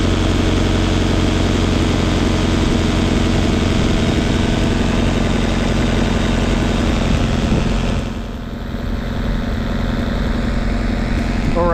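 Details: 1971 Datsun 510 with Weber 32/36 carburetor, after timing was corrected at the distributor adjustment plate to cure rough idle and no-start: steady, even, smooth low idle with no misses or stumbles.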